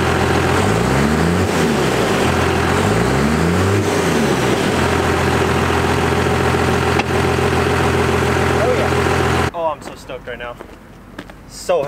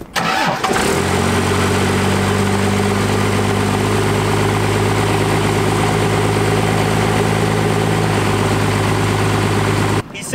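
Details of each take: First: 1st-gen Cummins diesel after readjusting the injection pump power screw for the new 3200 governor spring: steady idle, two clean blips straight back down with no hang, then settles evenly; revs return to idle normally. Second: 1st gen Cummins diesel, injection pump power screw set too far in: catches and settles to fast steady idle; power screw being backed out further.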